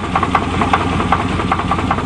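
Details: 1988 Chevy truck on test drive, owner says bad crank: rough idle with sharp regular tapping knock about four or five per second; owner says it sounds sick, suspected crankshaft knock.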